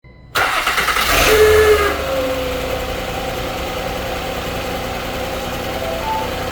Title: 2009 Honda Odyssey strange noise on startup